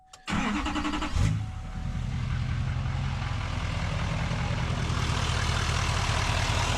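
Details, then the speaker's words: 2017 GM Duramax L5P diesel, start and idle after harmonic balancer replacement (new belt fitted earlier for squeak): cranks briefly, catches, settles to an even steady idle, no knock or wobble; balancer spins free, idling much better, earlier small vibration gone. "Feel how it's spinning nice and free. That's how it should be. The thing is idling much better."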